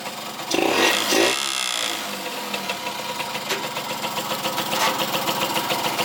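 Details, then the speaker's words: Yamaha YSR50 two-stroke after crank seals and engine reseal, at idle: buzzy tinny rattle chatters over the idle because the gas tank wasn't bolted down; loose fuel tank rattle. "also as you noticed in the last clip this thing was rattling like crazy it's cuz the gas tank wasn't bolted down"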